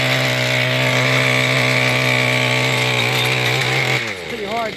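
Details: Mantis tiller two-stroke engine after carburetor fuel pump diaphragm replacement and recoil fix, tilling: high buzzy note holding steady revs while digging, then dropping off cleanly; normal running under load.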